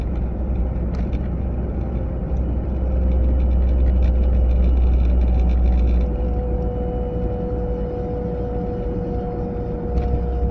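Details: A 940 at about 30 to 40 mph: a steady mid-pitched whine with a second higher tone rides over road rumble, coming from the passenger side; the source is unidentified and the cause unconfirmed.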